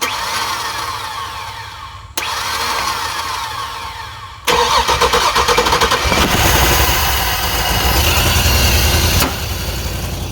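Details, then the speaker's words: Early-2000s Chevy Tahoe 5.3 V8 bought for parts, run on spray down the throttle body with a jump: starter churns, catches, runs uneven and lumpy with a major exhaust pop, then cuts out; no other racket. "Well, it runs. It didn't sound like it was making any kind of racket or anything besides a major pop out the exhaust."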